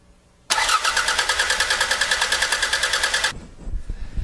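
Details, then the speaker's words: Four-cylinder used car (about $1500) cranking with the ignition disabled as a quick substitute for a compression test; starter beats roughly three pulses a second, even and steady, so cranking compression sounds equal across cylinders. "all right hopefully you heard how even that was"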